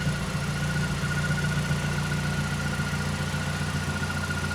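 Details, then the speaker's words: Mazdaspeed 3 revived after six years sitting, idling after the empty power steering reservoir was topped up with ATF; the earlier rattle from the power steering pump is gone. Steady smooth idle with a faint thin whistle. Normal idle. "My reservoir was completely empty, so I just topped that off. And that sound is gone. And this thing sounds super smooth."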